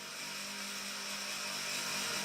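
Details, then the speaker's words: Off-grid tiny house gas fireplace first lit this season, cold start: quiet steady high whir with thin whistle from the small blower fan; noise normally goes away once the fireplace warms up. "Actually, once the fireplace normally warms up, all that noise goes away, so kind of good."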